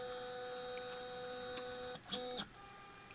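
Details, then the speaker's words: Snapmaker 2.0 A350 with PSU fan disconnected: quiet, steady high-pitched stepper whine with brief pitch changes as axes home and stop, normal homing, nothing rough. "I think I'll just do a home again now you get us feel for it so I just continue talking you can sort of see it it's not it's not loud at all"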